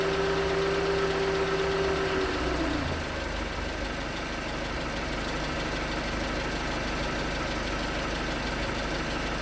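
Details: 2019 Hyundai Tucson 2.0L GDI Nu petrol engine, 24,000 miles, cold idle on Mobil1 5W-20 with under 1,500 miles on the oil: steady hollow knock about three per second over the engine note; suspected piston slap. Later 5W-30 helped slightly.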